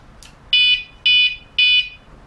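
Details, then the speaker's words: WSDCAM bike alarm with horn kit, initial setup: three loud evenly spaced high beeps about half a second apart, normal power-up signal. "Okay, 3 beeps, the remotes."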